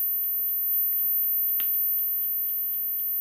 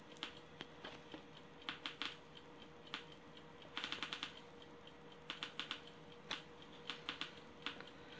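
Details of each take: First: Homemade Geiger counter with STS-5 tube (~400 V): a sharp click or two over faint electronic hum, normal natural background radiation. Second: DIY Geiger counter with STS-5 (SBM-20-like) tube clicks sharply and irregularly, faster than background, when uranium-oxide depression glass is placed near the tube; mostly beta radiation detected.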